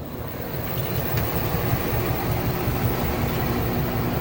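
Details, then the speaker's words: LG washing machine on immediate spin with some water still in: heavy low rumble with uneven thumps about twice a second as the tub bangs and the machine jumps; worn shock absorbers. "that's a regular low for most people that's bad yeah you shock absorbers"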